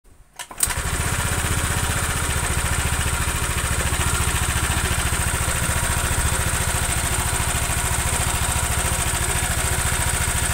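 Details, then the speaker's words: Honda Vario scooter engine at fast idle with a rough, steady knocking; a scuffed piston plus a loose connecting rod cause a clacking that sounds like the cam chain but is not. Piston slap from a worn connecting rod. "Nah gesekan Iki Mas menyebab Kak klakak klak klaklak seakan-akan koy suara rantai keteng tapi bukan mas ditambah KR utowo setang piston ya longgar"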